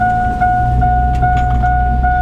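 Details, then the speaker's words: Chevy Avalanche running, with no working brakes and no shifter, in Drive creeping downhill: a mid-pitched chime repeats about 2.5 times a second over the engine rumble, warning that the parking brake reads as stuck on. "Drive isn't terrible it's beeping at me about the brake being stuck on sorry sweetie there's nothing I can do about that"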